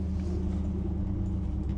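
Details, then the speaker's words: 1964 Ford Galaxie 500 XL V8 idling on the lift after its open exhaust was quietened and its carburetor rebuilt, now running on its own; low, steady, even rumble with no knocking or ticking, a healthy idle. "now we got it nice and quiet we got it running on its own"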